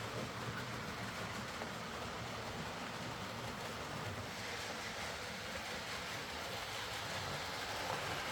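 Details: Hornby R.372 Class A4 "Seagull" tender-drive model loco after repair: stop-start running likely from excess axle oil spoiling pickup; steady even hiss and rumble, no knocks, stutter or grinding, running smoothly and quietly.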